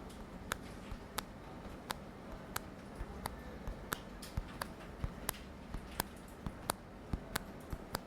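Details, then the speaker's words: LeEco Le 2 phone, powered off, mic placed very close to the screen: sharp irregular clicking/screeching as the middle of the display is pressed, stronger toward the top than the bottom, not the edges; display flexes in the middle, not vibration motor. Creaking display suspected. "when I uh press on this part of the screen it creates some sort of screeching sound listen clear"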